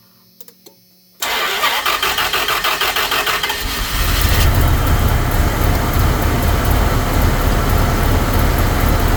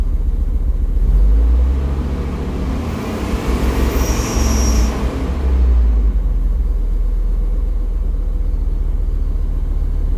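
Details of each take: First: Mopar engine started right after throttle body cleaning and air filter replacement: it cranks and catches, then runs a lumpy, uneven idle with a stumble, one cylinder misfiring, gradually smoothing out; start-up misfire after cleaning is described as typical. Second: V10 dually truck after throttle body cleaning and air filter change, settling after restart: deep even rumble with no stumble, swelling smoothly through a couple of revs and back to steady idle; normal running.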